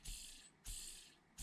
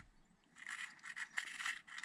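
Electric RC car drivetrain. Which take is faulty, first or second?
second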